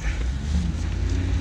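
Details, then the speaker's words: Lincoln Mark VIII driving at speed after stabilizer link and wheel bearing replacement: only low even road rumble, no clunking or wheel bearing noise; repairs successful. "as i get up to some speed right here i could also tell that we don't have a wheelbarrowing noise"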